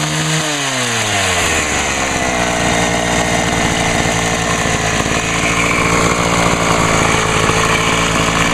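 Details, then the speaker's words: Homelite HT-21 hedge trimmer two-stroke after carburetor rebuild, restart without any carb adjustment: buzzes up quickly and settles into a steady, even high-pitched run with no misfire or hunting; healthy. "huh well got kind of lucky on this it really had to do no adjustment right waiter that's sweet"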